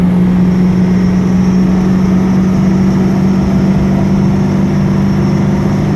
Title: Whining Noise